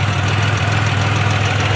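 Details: Car, warm after a highway drive, idling with a rapid, regular knock over a deep idle, steady in rate; source not pinned down, cause suspected, not confirmed.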